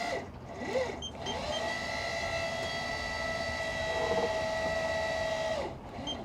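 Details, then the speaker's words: Classic sailing yacht autopilot drive pump, engaged on the autopilot computer after failing at sea and being reconnected: steady mid-pitched motor hum for about four seconds, then stops cleanly; pump turns freely, running normally. "All right, I'm gonna go turn on the Autopilot. All right, here you go. Auto. I can hear it moving."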